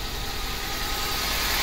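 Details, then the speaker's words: Ford Focus before replacing spark plugs, coil packs and valve cover gasket: engine idles roughly and unevenly, vibrating more than usual, weak and unsteady exhaust note; cylinder misfire, with EGR valve first suspected. "sounds a little rough sounds a little wimpy and puny and coming to the exhaust here you can hear that it's like a uh not steady thing"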